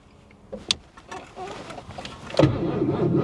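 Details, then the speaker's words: 1983 Mercury Cougar 5.0 V8, long-sitting, restarted at 185 degrees: slow, labored cranking that never catches; dead battery not taking charge, needs a jump start. "Uh-oh. Nope. She's gonna need a jump start."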